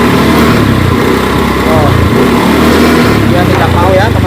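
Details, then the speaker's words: Honda Beat scooter: engine bogs and stutters on initial throttle opening, revs surging unevenly, yet full throttle at once is fine; customer reports stalling too; hesitation on pull-away, cause suspected, not yet confirmed (ignition and fuel pump to be checked). "Sudah digas kencang, tapi tidak mau jalan, teman-teman. Tapi kalau saya menginjak gas penuh sekaligus, tidak masalah, tapi saat di awal, mesinnya tidak mau digas, tersendat-sendat."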